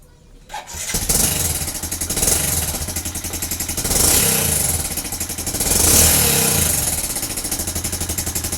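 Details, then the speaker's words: Vega Force Fi motorcycle, not yet in use: catches and settles into a rough, uneven beat about four per second with harsh clatter on top; owner says piston and connecting rod are due for replacement. "Kasi ganito yung tunog niya guys, kasi gas yung black. Hindi ko pa nabibilhan. Tsaka ano, ano yun, piston at tsaka connecting rod. Yun ang papalitan nito."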